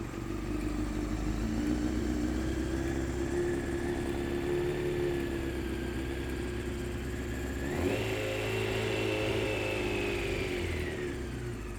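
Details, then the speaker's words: 1993 Honda CBR900RR, first start after replacing a blown fuse: an even four-cylinder idle burble and a clean blip that settles back. Runs healthy while warming up and burning off oils. "there we go all right all right so we're running"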